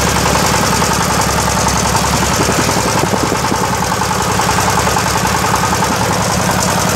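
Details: Yamaoke ZS1100 16 hp (16.5 hp max, rated 2200 rpm) direct-injection single-cylinder marine diesel on test, throttle raised: steady, even fast-idle clatter with regular firing pulses and no extra knocks; normal running.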